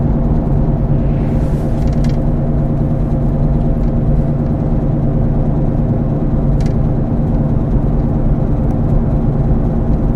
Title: Bad wheel bearing sound | Automotive | Car